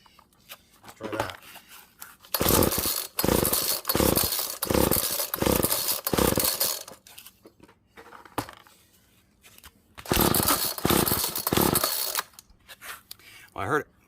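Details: Found GTI 16D string trimmer with compression, choke on: repeated rope pulls about a second apart bring rough, brief catches that never settle into running. The owner suspects it is choking too much; it tries to fire but won't start.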